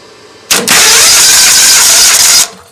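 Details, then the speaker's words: Briggs & Stratton 21 hp V-twin on an LT1000 mower, starter just greased: starter whirs steadily about two seconds, engine never fires; cranks but no start, spark check shows no spark from the coil, later replaced with a used coil. "No spark. So just take out the other spark plug, let's see what it looks like."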